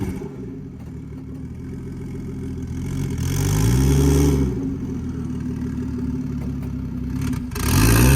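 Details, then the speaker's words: IS300 on its first start after a CT20 turbo swap, power-braked so it pushes the front tires: deep rev surges that build and drop as the turbo spools up immediately, running strong with no clatter; normal turbo spool. "It sounds freaking sweet though. You can hear the turbo just spool up. Yeah, turbo sounds cool. Yeah, spools up immediately."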